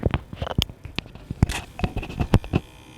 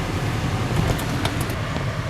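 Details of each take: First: 2015 Ford C-Max plug-in hybrid, car on, from the dash slits: fine steady high-pitched buzz from the failing AC cabin humidity sensor, audible even on the highway; a replacement Ford part failed the same way. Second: 2015 Ford C-Max plug-in hybrid, air conditioning on after a fix for the dash buzzing (humidity sensor): steady even rush of air with a low, smooth hum and no buzz or rattle; normal AC blower operation.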